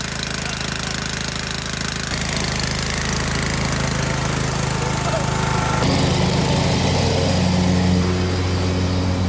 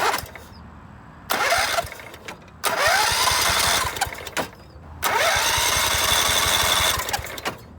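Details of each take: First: Scotts by John Deere riding mower (42-inch deck), 16 hp Kohler Command engine, after repairing damaged wiring for a no-spark fault and re-bolting the shifted engine: catches and settles into a steady even beat, stepping up in speed a couple of times; starts and runs normally. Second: Scotts by John Deere riding mower with 16 hp Kohler Command engine, loose engine mounts, fuel smell: three bursts of steady cranking, none firing; no spark, coil ground wire disconnected to test, worn coil wiring found.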